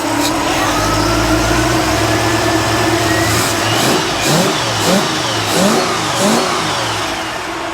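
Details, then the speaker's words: 1955 Chevy Nomad small-block V8 after intake manifold replacement, still smoking: uneven, lumpy idle rising and sagging in irregular pulses; rough running, owner suspects timing needs advancing or fuel supply, helper suggests water in exhaust; cause unconfirmed. "Sounds like it may need a little bit more timing too, maybe."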